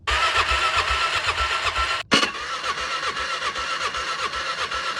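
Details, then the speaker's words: 2006 Can-Am Outlander 400 HO 4x4 ATV sat for years: starter spins engine in even, quick chuffs with a short pause, never catches. Spark present but reserve fuel line dry, nothing coming out; crank-no-start from fuel starvation. "we are getting spark but i don't think we're getting fuel this is the reserve line right here and it's dry there's nothing coming out i don't know what's going on really so it's obviously a fuel issue"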